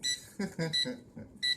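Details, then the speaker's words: UWING U12S RC mini helicopter transmitter: short, high, shrill beeps repeating roughly every 0.75 seconds after the helicopter is switched off, the remote's low battery alarm warning that the battery is going to die. "See, it's telling me the battery's going to die."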